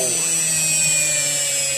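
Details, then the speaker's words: Washing machine universal motor (6 wires), series-wired direct to 220 V single-phase, unloaded: steady, very high-pitched whine with a buzzy brush edge and no rattles, spinning freely at high speed; normal running. "Bon, je vais brancher. Je sais pas si vous voyez, mais ça tourne extrêmement vite."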